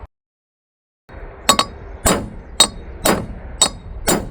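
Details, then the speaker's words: Tent trailer wheel bearing race (2000 lb axle) hammered in: metal blows about once a second turn to a dull, solid ring as the race bottoms out; race fully seated. "It will make a different sound. Once it hits the bottom, I don't know if you can see this, but there's still a gap right there. Yeah. Made a different sound. Hear it? Solid."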